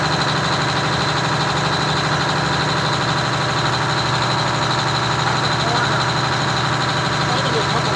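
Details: Detroit Diesel 6V92TA two-stroke in a Wanderlodge bus conversion (rebuilt, had been sitting) idling far too high, a fast steady drone; idle later backed down from about 750 to 600 RPM (596.8) with buffer reset. Finding: high idle speed.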